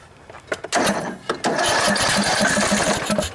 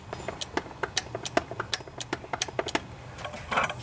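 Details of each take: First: Cub Cadet LT1018 hydrostatic mower, 18.5 hp Briggs & Stratton Intek OHV single, sat about a year, new battery, on starting fluid: cranking chuffs, then fires and runs raggedly about two seconds before dying; plugged carburetor main jet. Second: Cub Cadet LT1018 riding mower with Briggs & Stratton 18.5 hp Intek OHV single: sharp, distinct clicks each time the key is cycled to accessory, so the carburetor's anti-backfire solenoid is working properly.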